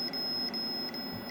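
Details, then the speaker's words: Logic probe on a known-good Moon Patrol arcade CPU board during bus-test looping, checking the data buffer enable line: steady high tone with quick regular breaks, the tone of a toggling signal. "let me hook up the logic probe real quick all right so here's my logic probe right here let's go to and yeah we know it's toggling"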